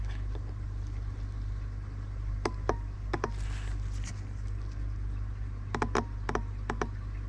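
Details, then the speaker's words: Range Rover L405 turbine (secondary turbo) shutoff valve solenoid, removed and bench-powered from a 9 V battery: crisp paired clicks over a low hum as the plunger moves up and down; solenoid working normally. "So you can hear it going up and down. So it sounds as if it's working."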